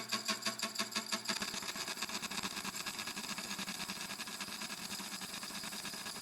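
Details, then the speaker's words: Used slitting saw of unknown sharpness, red dot marking a suspected bad tooth, test cut on scrap steel at 365 RPM, slow hand feed about 4 mm/s: steady high scraping hiss with faint even tick, no single-tooth thump; cutting cleanly. "but actually that seems to be cutting just fine running it at 365 RPM nice slow feed about4 mm/ second feeding by hand"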